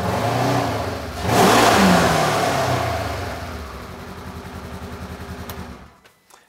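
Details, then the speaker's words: 2015 Polaris RZR 900S, stored a while, intermittently then fully dropping one cylinder; started after new spark plugs: rev blip then lumpy, stumbling idle, better but still off; owner suspects a clogged or faulty fuel injector. "that does not sound right it sounds better but she's still acting a little funny so I am thinking that one of those injectors is acting strange"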